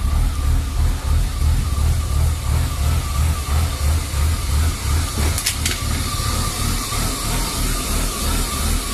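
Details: BMW E36 325i rough idle: the engine note pulses up and down about three times a second with a lumpy shake. Replacing the MAF and throttle position sensor and cleaning the idle valve didn't cure it. The faulty oxygen (lambda) sensor was the cause, fixed by replacing it.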